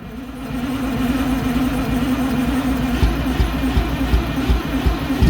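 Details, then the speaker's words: MCI MC8 diesel bus, sat about two years, started from front controls with rear start controls not working, coolant low, batteries suspected weak: slow steady starter churning about two and a half turns a second, some smoke but no firing; long crank, no start. "well i think we need to charge batteries up on this thing they were showing 25 but this thing's been sitting"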